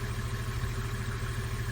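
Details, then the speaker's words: Steady low drone with even beat from an old generator charging a battery, holding speed as it pulls extra current when the 1955 White tractor's glow plugs/preheater are switched on. "make it work a little bit harder and obviously does pull a bit of current"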